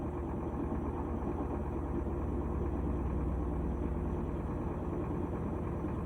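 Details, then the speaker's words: GE top-load washer after lid switch replacement: ramping to high-speed spin, steady low hum at even speed with no knocking, squeal or grinding; spin healthy. "so we're ramping up here you can hear it so this unit actually had two issues we did replace the lid switch on it here we go high speed"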